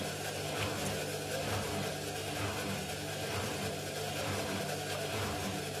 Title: INDESIT mini unbalanced spin with bad bearings